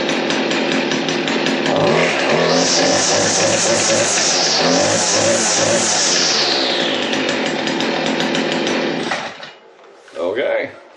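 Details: Stihl FS56C trimmer after cleaning clogged exhaust screen (previously rough, no power): two-stroke screams up to steady high buzz, holds clean and even, drops back to idle; running healthy.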